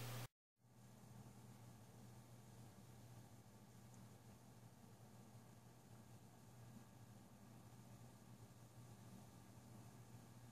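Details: Deepcool Captain 240 liquid CPU cooler at idle with fans at low RPM: a very quiet, even hum with a soft air hiss and no ticks or rattles. Normal idle noise.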